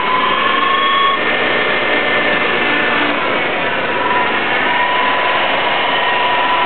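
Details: Engine idling with a thin steady high whine around one kilohertz over the running noise. Coil, timing chain, fuel pressure regulator, coolant temp sensor, plugs, wires, cap and rotor already replaced. Owner suspects a large vacuum leak or EGR problem; unconfirmed.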